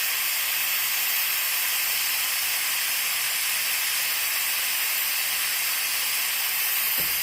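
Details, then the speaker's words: Compressed-air-driven oil extraction machine charging its vacuum, valves open, before pulling oil from a warm Toro walk-behind lawnmower engine during service: steady, even high-pitched air hiss with no pulsing or sputter while the gauge climbs; normal vacuum generator hiss. "So you open these valves, and then, if you can hear me, you have to wait for this. Wait for this vacuum to appear on this gauge here to go right round to there."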